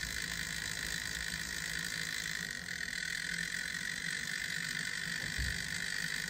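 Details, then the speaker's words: Atlas model locomotive run after a long spell unused, before wheel cleaning with a Woodland Scenics Tidy Track: thin whine over rattling, gritty, uneven gear buzz, running rough and noisy; cleaning later improved it. "not too bad doesn't sound good all right so let's do let's do a little cleaning on it and see if it improves it at all"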